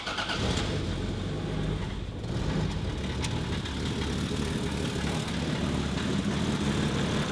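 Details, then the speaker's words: 2JZ-GTE VVTi engine swapped into a Volvo 940, first start after wiring the ECU and reconnecting spark wires: brief crank, catches, settles to a steady even idle with no misfire or knock; wiring confirmed correct. "As you can hear, she runs. Nice. So I'm super thrilled that the 2JZ is running and my wiring is correct."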